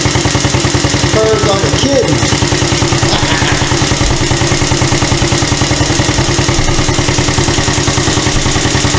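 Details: Free Chinese CT-125 ATV on its first start after the head repair, where a bent valve was found and the exhaust valve had been fitted in the intake slot: an even, steady single-cylinder putter with regular exhaust pulses and no ticking or knocking, so it is running healthy.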